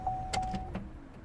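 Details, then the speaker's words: 2010–2012 Vauxhall/Opel Meriva B petrol with locking-system warning light and BCM code B2524-59: around handbrake use and switch-off, a short electric motor whir with clicks as door lock actuators cycle on their own; lock fault. "when I pull the handbrake, I really hope you can hear it, the doors kind of lock again, or there's something going on the locks."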